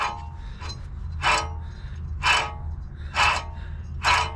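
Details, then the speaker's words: 1996 Toyota Camry wheel hub spun by hand during removal: a gritty rasp in surges about once a second. A worn, dry wheel bearing, about to be replaced. "it's not supposed to make that noise that's bad very bad surprised it lasted this long though"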